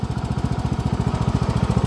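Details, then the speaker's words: Cub Cadet riding mower, about 200 hours, after a new belt; crisp, even exhaust beat around a dozen pulses a second, steady with no misses or knocks, runs really good. "but yeah I'm pretty happy with this it runs really really good"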